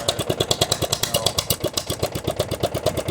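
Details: Murray riding mower neglected outdoors about 5 years, run on choke without a muffler: loud, harsh popping at a quick uneven beat with flames, struggling to stay lit. Rough running; owner suspects a fuel issue.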